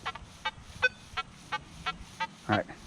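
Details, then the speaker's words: Nokta Legend metal detector in a test garden switched to 15 kHz over iron: choppy, uneven chirps and broken tones instead of a clean signal, sounding super junky. Noisy iron target response at 15 kHz. "right, sounds junky. Sounds super junky in 15 kilohertz."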